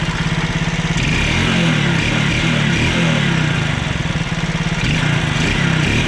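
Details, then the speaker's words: Alfa 110 single-cylinder moped, after a new piston and rings were fitted to cure a knock like loose valve clearance: fast, slightly uneven idle with no sharp tapping or knock; something occasionally slips, cause unclear. "прошёл, ушёл. Что-то проскакивает, но это уже непонятно"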